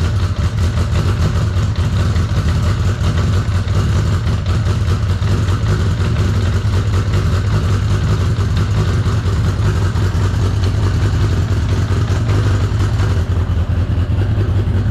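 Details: 1983 Honda CB750 stored about 10 years, running on external fuel source: four-cylinder holds a steady throbbing, slightly uneven idle throughout; normal running after long storage.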